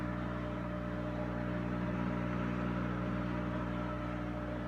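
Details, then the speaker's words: Kenmore stackable front-load washer during spin with lid closed: drain pump giving steady low hum with quick even pulse, no grinding or rattle; healthy pump, though the washer vibrates slightly and needs levelling. "so you can hear it great pump sounding isn't it you know you've been all been waiting for"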